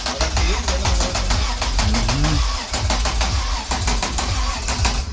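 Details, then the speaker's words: VR6 MK3 Golf, engine cranked over deliberately to build oil pressure before a first start attempt: even starter churn with steady compression pulses but no firing. "I'm going to crank it one more. Are you sure the u fuel pump is getting power? Yeah. Yeah. No, it will start I think. Oh, no startup."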